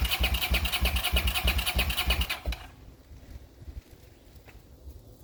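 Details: 40-year-old Honda GL500 motorcycle on first start after rebuild, fed from a temporary gas bottle: the starter churns at an even three beats a second for about two seconds and never catches. It fires on starting fluid, so no fuel is reaching the carbs.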